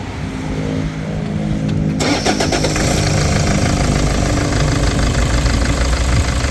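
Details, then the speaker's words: Toyota Vigo 3.0 diesel, after a rail pressure sensor and SCV replacement: cranks then an uneven, lumpy clatter with irregular hard knocks and shaking; scanner shows injector corrections far out (cylinder 3), worn injectors. "แต่ปัญหาที่เจอตอนนี้คือเครื่องยนต์มีเสียงเขก"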